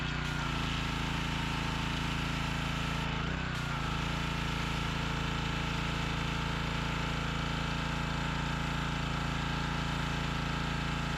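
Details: Workforce pressure washer, 163 cc overhead-valve engine, after a no-start repair, on fresh gas with water connected in the high 30s °F: it settles into an even, steady run after a brief stumble near the start. Normal running.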